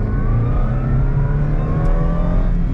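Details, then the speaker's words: Subaru Vivio RX-R test drive, hard acceleration in second gear; engine revving with a thin whine rising with speed over the exhaust, cause not yet known. Whine under acceleration. "I don't know if you guys heard that wine but I definitely heard the wine"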